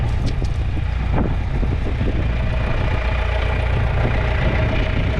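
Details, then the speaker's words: Old John Deere 3010 propane tractor after drying wet, slightly corroded ignition points, rain cap on: steady low rumble with an even beat, no misses or knocks; idles smoothly and sounds good. "Got the rain cap on. Everything looks good. It sounds good."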